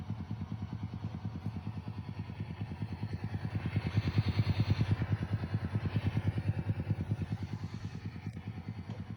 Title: Fender DRRi 65Vibrato Channel Ticking noise